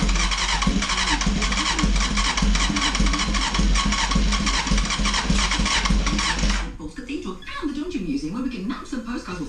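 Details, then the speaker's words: Barn-find Honda CBR900RR Fireblade SC28, stood over 10 years, start attempt on a remote fuel tank after reseating the CDI plug: starter churns steadily about six seconds without catching; owner suspects missing airbox and a seized choke assembly, cause unconfirmed. "I think it needs an air box on it to give a bit more fuel than we're probably in still not running still uh it's very close"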